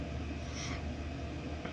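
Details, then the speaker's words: Chinese Webasto-type 8 kW diesel air heater in a camper van at maximum speed, drawing 3.5–3.6 A, cabin warming from 14 to 16 °C: steady even roar and fan rush, no surging or popping; running normally at full output. "Bon, il est à vitesse maximum. À vitesse maximum, donc j'ai coupé le 12 volts pour être sûr. Et en consommation, voilà, on est à 3 ampères 5, 3 ampères 6 en consommation quand il tourne à fond."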